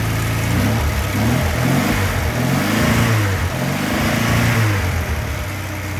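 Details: Škoda 1000 MB/1100 MB De Luxe, first start after 15 years: engine settles into fairly even idle, then climbs and falls through quick throttle blips, pulling cleanly each time.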